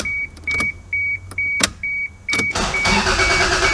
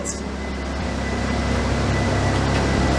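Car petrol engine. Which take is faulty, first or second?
first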